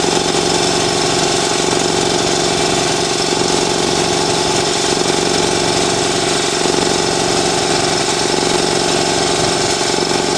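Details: New Ingersoll Rand TS4N5 80-gallon compressor, 5 hp 230 V motor, 15.8 CFM at 90 PSI, 175 max PSI, cuts in near 140 and off at 170 PSI: even, fast, strong and regular pump chugging with no knocking or squeal; normal, healthy running.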